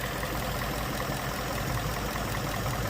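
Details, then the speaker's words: Ford Mustang 5.0 Coyote V8 (year given as 2017 and 2019), codes P0302 P0316: steady idle with a faint uneven stumble, one cylinder dropping out; cylinder 2 misfire at idle, cam timing being checked. "tiene un Miss Fire en el cilindro dos y voy a mirar el tiempo del motor."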